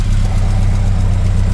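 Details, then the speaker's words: Mazda B2000 that wouldn't start, after replacing starter: fires up quickly into steady, even low idle, smooth unbroken rumble, no knocks or misses; healthy idle. "go ahead fire it up that was smooth"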